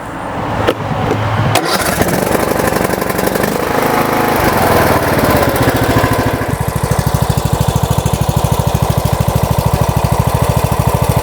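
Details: MTD Yard Works lawn tractor, Briggs and Stratton single-cylinder engine, after fixing no-fuel-to-carburetor problem, cleaning the bowl and refitting the solenoid; a few rough turns and coughs, then catches and settles into steady even idle thump; normal running.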